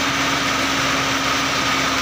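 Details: Gasoline engine that cranked but wouldn't start, now running after troubleshooting: steady, even idle with constant hum and no misses or knocks; normal running.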